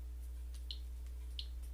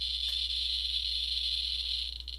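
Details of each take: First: And what you're hearing right now is just the background radiation in this room. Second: So all the geer counter is telling us is there is more radiation here or more radiation now than there was a moment ago when it starts clicking more.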